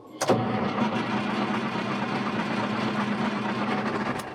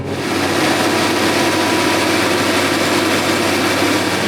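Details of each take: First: Big Bud tractor diesel just fired up after replacing the leaking injection pump with a junk spare pump. It runs rough and uneven with surging beats while air in the fuel system clears, then comes good. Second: A big farm tractor's diesel restarts on an old 450 hp injection pump, fitted with some modification after the original pump gushed fuel; it settles into a steady, even clattery idle, no stumbling or hunting: normal idle.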